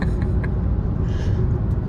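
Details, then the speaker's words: Kia Soul with intermittent misfire after replacing one ignition coil, driving in high gear under throttle on a smooth road: deep, steady engine drone over road rumble, no stumbles or jerks; pulls smoothly with no misfire. "All right, we're in a high gear. Got my foot in it. Yeah, no mis Yeah, it seems like no misfiring."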